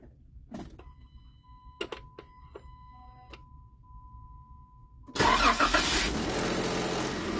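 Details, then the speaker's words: 2016 Jeep Wrangler 3.6L Pentastar, after Baxter oil filter adapter and Wix filter, primed, started after sitting about a week: engine rattles about 1.5 seconds before smoothing to idle; dry-start clatter reduced, not eliminated. "so well there you have it guys it's still clatters a little bit um it clatters for about a second and a half which is probably an improvement from what it was before"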